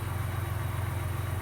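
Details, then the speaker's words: 2018 Ford EcoBoost after oil change with Mobil 1 and ProLube oil treatment, idling after 10 to 15 minutes: smooth steady low idle, previous rattle and tick gone, even quieter once warmed. "I cannot believe that the rattle is actually gone now it gets even quieter once the initial starts over with"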